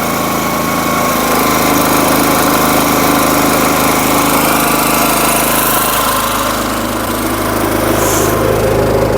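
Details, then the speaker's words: SuperSplit kinetic wood splitter with the engine at lowered RPM: a steady idle with a brief hitch midway, the rack slipping a tooth because the handle wasn't yanked fully up. "hear that skip I didn't yank up on it now this time"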